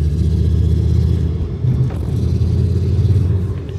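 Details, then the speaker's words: VW Golf 4 "fake R32" with swapped VR5 engine, first road test after the conversion, under hard throttle: deep heavy drone that wavers and dips unevenly instead of pulling, a stutter under load; owner suspects a dead cylinder or ignition problem. "ja stottert ja ich weiß nicht entweder läuft er nicht auf einen Zylindern oder die Zündung hat noch ein Problem"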